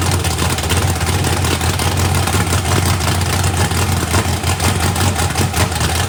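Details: Fresh 409ci small-block Chevy V8 race car engine, first fire-up before the turbo is fitted, warming up: deep, steady, lopey rumble with no knocks or ticks; running healthy.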